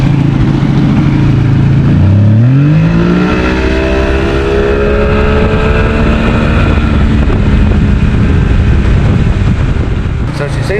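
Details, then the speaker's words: 70 hp Johnson outboard on a Nitro 165 TL bass boat running with clean fuel from a remote tank: it revs up from idle, then the pitch sags and hunts under throttle, losing power. The fuel tank is suspected, with plans to clean it. "It seems like we're losing starting to lose power and it's got it could possibly be the fuel tank."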